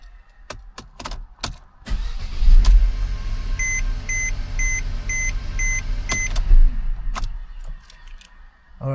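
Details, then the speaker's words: 2012 Mercedes C250 (W204, 1.8L turbo) with a no-crank/no-start fault traced to a bad starter: after the new starter is fitted, dash chimes, a short brisk crank and an immediate catch to a smooth idle. It cranks and starts normally. "Alright, so we got our starter on, batteries on, everything is connected. Gonna give it a few starts."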